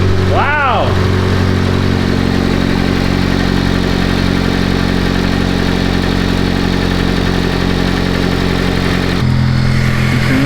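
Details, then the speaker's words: 2014 Honda Civic Si, first start after a Makspeed turbo kit install: brief chirp at start-up, then a steady, even idle with no knocks or misses; sounds healthy, no turbo noise heard, believed normal due to turbo lag. "Wow. Sounded pretty healthy there. Did you hear that? That sounded very healthy, man."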